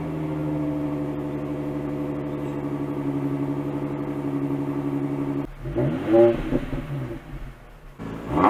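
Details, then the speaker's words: 2005 Infiniti FX35 with its exhaust resonator removed, held by temporary clamps: deep, even exhaust drone with clean rev blips, a healthy engine with a louder straight-pipe tone. "I think we should go ahead and start it and see what it sounds like without a resonator and without mufflers"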